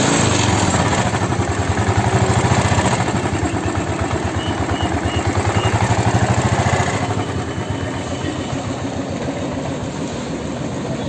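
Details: Royal Enfield Classic 350 at about 80,000 km, after an engine rebuild with new crank bearings to cure a crank noise: steady, clean single-cylinder idle of about three beats a second with no crank knock. The crank noise is gone.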